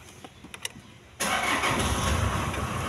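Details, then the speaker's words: Toyota Hilux Surf 1KZ diesel, EFI electric fuel pump, after repairing a loose wire in the wiring harness that had stopped it starting; catches at once and settles into steady even idle, no stumbling. "वह इधर में तार loss हो गया तो इस वजह से स्टार्ट नहीं हो रहा था स्टार्ट करते हैं"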